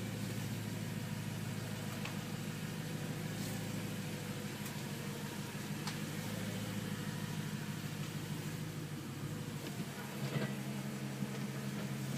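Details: 2011 M3 at idle: a steady hum with faint, sharp ticks above it and a brief revving blip near the end. Ticking noise, cause unknown.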